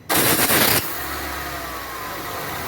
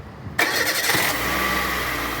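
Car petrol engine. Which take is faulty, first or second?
first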